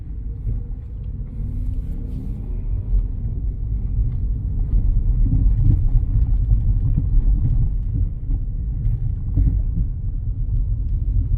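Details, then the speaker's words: 2005 Lexus RX330 with 229,000 miles driving on a rough road: deep rumble with irregular dull knocks over bumps from worn strut mounts at all four struts, rear and some front; front control arm bushings also worn. "road yeah see it's really bad that's all strut mounts in the rear and some in the front really bad"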